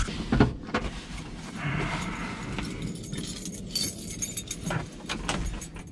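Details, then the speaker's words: Mazda Miata drift build idling with irregular metallic rattling over a low rumble, from the exhaust touching the chassis, the day after an oil change with the engine still in break-in. "You guys can hear there's a rattle going on. That's my exhaust. I have to fix it. It's touching the chassis, so I'm gonna end up banging it out real quick,"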